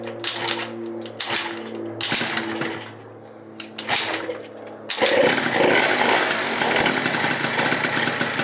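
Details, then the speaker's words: Freshly rebuilt Yamaha Zuma 70cc two-stroke, first kickstart on a full tank: a few kicks and sputters, then it catches into a buzzy, even idle for its first heat cycle. Healthy start and warm-up. "Gosh, you started right up though. Woo. Let's let her warm up. First little heat cycle on her."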